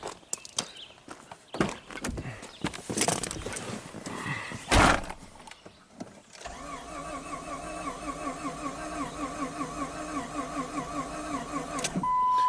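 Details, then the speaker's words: 2002 Jeep Grand Cherokee 4.0L inline-six, crank-no-start, ASD relay pulled, badly spliced cam sensor wiring: the starter cranks with an uneven beat and the engine never catches; uneven cranking, misfire suspected. "So it doesn't sound great. So it's, even if we get this thing started, I'm pretty sure it'll have a misfire."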